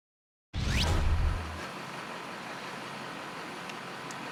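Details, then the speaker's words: 2004 GMC 6.6L Duramax diesel that used to shudder at idle, after one tank treated with Kleen-flo diesel fuel conditioner. After a brief loud start the low idle settles into a quiet, even hum and the tach holds steady, so the idle is smooth. "I have to go get some fuel cycling a lot smoother already we look at the tack there it's pretty steady wasn't like that before"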